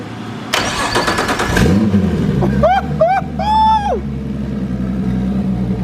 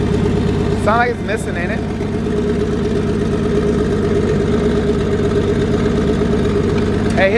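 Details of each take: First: Nissan S13 with RB25DET swap, Haltech ECU, new wiring harness and drive-by-wire: cranks, catches, settles into steady idle, then crisp clean throttle blips; normal start, idle and revs. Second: RB25DET engine in Nissan S13 on Haltech ECU with new wiring harness and drive-by-wire, first start: lumpy, uneven idle with stumbling beat and rattling, not running on all cylinders; misfire, cause unknown.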